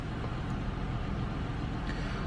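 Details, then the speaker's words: Vehicle with check engine light and code P0300 random cylinder misfire, read on an Actron scanner; running badly with a low, lumpy, uneven idle. "Okay, we got a P300 random cylinder misfire. Yeah, I kind of sensed that, man. The way that thing was just running."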